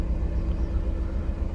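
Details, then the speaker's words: BMW E36 cold start after sitting two days, revs held up a little; sputters and goes into limp mode from mid-temp: low lumpy rumble with uneven pulsing beats, idling rougher than usual even cold; rough cold idle, owner plans checking plugs and coil packs. "So it's a cold start. It's actually idling a little bit rougher than usual already before I even before the temp got cold."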